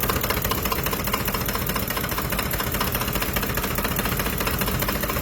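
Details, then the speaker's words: 2005 Ford Expedition 5.4L Triton V8, hot idle: oil pressure 25 psi in park drops to 18 psi in gear (transducer at oil pressure switch port), then heavy uneven knocking, rattling and shaking misfires; badly worn engine judged to need replacement. "Oil pressure just dropped down to 18. Now the engine is shaking and rattling and misfiring, knocking."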